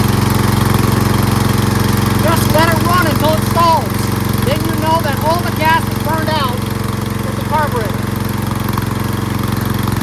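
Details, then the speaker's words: Lawn tractor riding mower single-cylinder with new fuel shutoff valve closed: steady, even putter with no misses or knocks, run until it stalls to burn off carburetor bowl fuel for winter storage; normal running. "So now I'm going to start it up and let it run until it naturally stops and stalls by depleting and burning off all the gas that's in the bowl of the carburetor."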